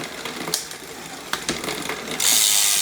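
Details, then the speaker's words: Trek hardtail MTB, about five or six years old and never serviced, 1x drivetrain being adjusted: light, irregular clicking and chain chatter about three per second while pedalling as the rear derailleur overshoots outward because its high limit (H) screw is backed out too far. "So, that H screw is a little bit out. It's coming out too far this way."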